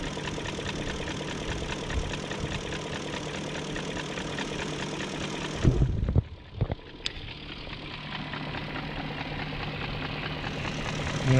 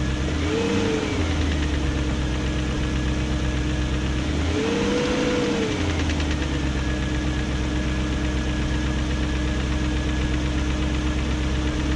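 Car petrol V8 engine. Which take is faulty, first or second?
second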